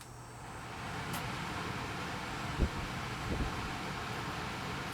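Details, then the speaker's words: Hopsco ODF1500 outdoor wood furnace squirrel-cage blower fan, switched on manually, drawing 320 watts and moving 1500 CFM. Soft steady whoosh of air with a low even hum, no scraping or ticking; normal running. "320 watts is what that fan, it's a squirrel cage fan, 1500 cubic foot per minute. That's what that unit is putting out right now."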